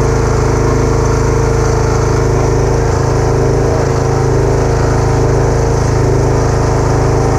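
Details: Kubota A3500 generator, about 10 hours use, replaced spark plug, uses some oil: steady, even single-cylinder drone at constant speed, no misses, surging or knocks; normal steady running.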